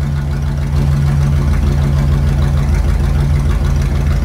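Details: Gen 1 Hemi V8 running on the dyno at a steady idle with an even, deep low hum and no ticking or knocking; no mechanical noises, and the engine sounds sound.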